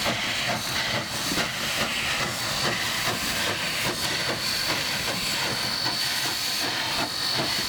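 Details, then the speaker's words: Nevada Northern Railway steam locomotive under way; exhaust steam through the smoke-box venturi blast pipe and stack, each chuff from a cylinder release; loud hiss with soft, somewhat irregular chuffs about two per second; normal. "this then shoots steam up through the the smoke stack and gives us that lovely chef sound that most of us associate with steam engines"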